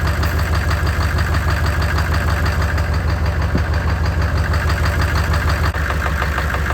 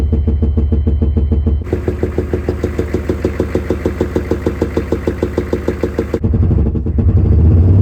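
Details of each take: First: 6.5L Chevy diesel that had a knocking/popping sound, after replacing a bent pushrod at the second valve from the back. Even, steady idle clatter of about three beats a second with no knock or pop. Running healthy. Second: Chevy 6.5L diesel idling with a sharp, regular knock about three times a second; an inspection camera shows a bent push rod on the second valve from the back.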